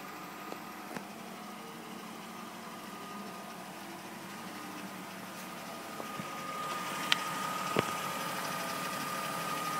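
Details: BMW E39 520i with engine running: light persistent clicking about three ticks a second over the idle, heard best from outside on the left side; source unknown.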